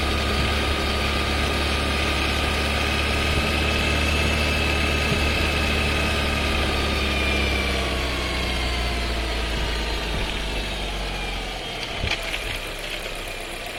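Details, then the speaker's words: Skoda Scala 1.5 TSI with dry-clutch DSG, new car, 6 months old, about 3,500 km, heard in the cabin: engine note falls as the car slows, then a single sharp clunk as the gearbox drops a gear. Loud, harsh downshift with rattling. "Loud downshift, rattling noise"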